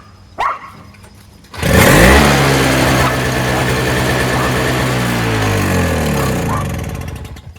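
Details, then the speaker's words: Old Toro CCR2000 Power Curve single-stage two-stroke snowblower, suspected too-oily fuel mix and earlier smoke: quick pull start, catches and settles into a steady even buzz with no misses; fires right up, running fine. "it fires right up and that's all I want to do"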